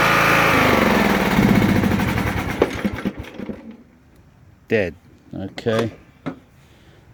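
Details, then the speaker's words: Sears Craftsman LT1000 lawn tractor starts fine but stalls when put in first gear or blades engaged: small engine runs rough and loud, dies within about three seconds of engaging, throttle position checked fine. "it starts up just fine but then when I want to put it into gear or Engage The the mowing blades it stalls"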